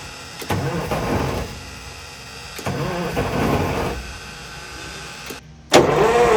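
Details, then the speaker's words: 1970 GMC Astro semi, 6-71 inline-six Detroit Diesel, sitting over 30 years, first start attempt with starting spray: two bursts of rough firing fade after a second, then a sharp restart; catches briefly but dies, needing more spray. "get it oh God die oh that one died spray again they come back alive you got to hit them again"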